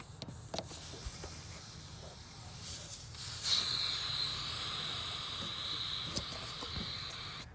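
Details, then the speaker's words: Mitsubishi Eclipse GST with freshly built engine, idle surge: sharp, steady hiss of air drawn in over a quiet idle; vacuum leak from a cracked old rubber port on the throttle body, to be replaced or sealed. "So when I did hook it up, right away I did hear a leak. I don't know if you can hear it. But yeah, it was coming from this port. See how it's cracked?"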